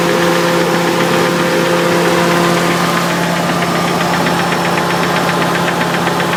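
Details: Nissan 300ZX at steady idle with a dull, repeating knock deep in the engine that appeared after a short vigorous motorway run. Bottom end rebuilt 3 years ago; it revs freely, runs evenly and doesn't blow oil. Owner suspects the oil pump, as the sender shows erratic pressure.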